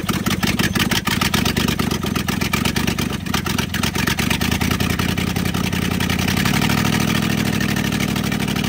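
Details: 1970 Dodge D300 wrecker V8, long-sitting, one exhaust manifold missing: loud raspy exhaust pulses, uneven at first, then settling into a steadier rising note as it runs.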